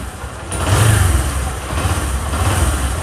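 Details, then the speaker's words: Bajaj Discover motorcycle, excessive engine noise fixed by setting the timing chain: steady low exhaust thrum from the small single with a brief rev rise, no knocking or chain rattle; engine now runs quietly. "यह देखिए दोस्तों engine की सारी आवाज गायब हो चुकी थी"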